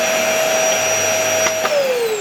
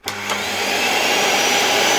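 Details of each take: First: LG V-3340D vacuum cleaner after its loud-running motor was replaced with a new no-name Chinese motor: smooth, steady whine that winds down when switched off and spins back up to the same even pitch, good suction, no smell; normal running. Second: Old removed motor from an LG V-3340D vacuum, which had begun running loudly, run on the bench from a power supply with voltage raised: loud, harsh whine with rough hiss holding steady at full speed; owner suspects a damaged bearing, not confirmed.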